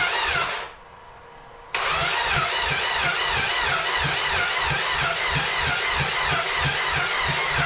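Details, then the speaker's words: Dodge SRT-4 after clutch master cylinder replacement and battery relocation with new grounds, fuel relay pulled and coil unplugged to prime turbo oil: starter churns evenly about three beats a second, no firing; cranking only. "going to pull my fuel relay I already have the coil is unplugged all right cuz I don't want this thing to start um see what happens if we try to crank it over"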